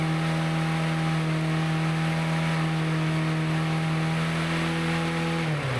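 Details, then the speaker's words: Yard-sale push mower, not run in an unknown length of time, started with spark confirmed and a little gas poured in; its old oil was nasty. Steady, even single-cylinder drone, then spins down at shutoff; no misfire heard, runs normally. "Okay, that one runs."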